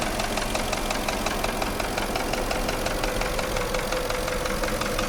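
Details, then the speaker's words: Porsche Cayenne engine at idle: dull, somewhat irregular knocking, roughly one or two a second, caused by damaged cylinder walls in the piston group, usually cylinders five and six; endoscope diagnosis recommended. "наблюдаем характерный стук двигателя автомобиля Porsche cayen стук связан с проблемой в пошле вой группе повреждены стенки цилиндров как правило пятый шестой"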